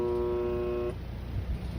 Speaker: That was the buzzing sound that I'm hearing. It sounds like it's coming from the bottom of the AC unit. Sometimes it's louder than other times.